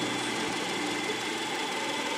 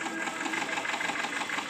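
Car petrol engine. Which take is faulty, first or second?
second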